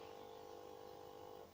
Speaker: Если вы слышите такой фон, такое гудение, значит, что нужно сделать? Нужно убрать звук на телевизоре. Убираем звук на телевизоре, вернее, уменьшаем.